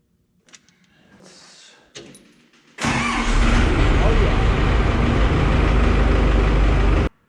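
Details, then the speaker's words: Traverse 6035 telescopic boom forklift diesel after new starter installed: quiet clicks, then the engine spins over quickly and catches almost at once into a strong, even roar; normal fast cranking and start. "right, you hear how quick that turned that over? That's nice."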